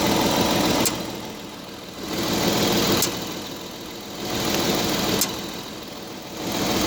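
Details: Audi A7 idling at a standstill: dull knock about every two seconds over a pulsing idle, apparently from the driver-side wheel/suspension, only when stationary. Source not pinned down.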